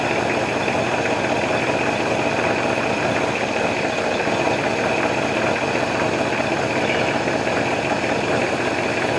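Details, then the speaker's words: Warm V8 in a 1968 Ford Mustang coupe, off the road for 15 years, idling steadily with a dense, even rumble and no misses; the idle mixture screws are set too rich, and within a quarter turn they go from rich to lean. "rich it's too late wow that is sensitive just the slightest turn we're talking within a quarter of a turn we're going from rich to lean"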